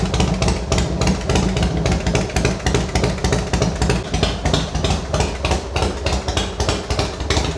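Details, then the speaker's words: Harley-Davidson Fatboy V-twin rebuilt after a wreck, just started after fitting replacement tank, easy starting. Loud lumpy idle, steady even beat about three pulses a second; owner suspects compression near 10.5:1; normal clean running. "There it is. It's back. Yeah, that sounds great."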